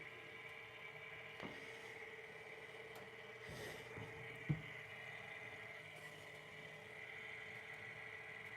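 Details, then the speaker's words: Sole F85 treadmill, incline raised from the console: faint, steady incline motor hum with an even worm-gear whir and no knocks or grinding, so the incline drive is operating normally. "So currently I'm elevating it up incline motor is moving you can see that right there that's the that's the worm gear"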